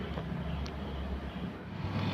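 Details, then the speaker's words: Air conditioner outdoor condenser fan, previously spinning slowly, after replacing the fan capacitor: steady low hum and airy rush with no wobble or labouring; fan now spins fast, fixed. "พัดลมหมุนช้านะครับเป็นแคปพัดลมนะครับหายเลยครับหมุนเร็วแล้วครับ"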